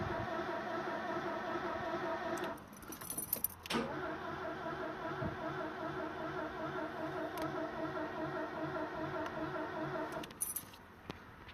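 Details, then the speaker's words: 1979 Porsche 924 with dog-leg gearbox, bought 2023; starter cranks steadily, pauses, cranks again, no tach bounce and the engine never fires: cranks but no start. "I don't know how well you can hear that but it's me cranking there's no tack bounce"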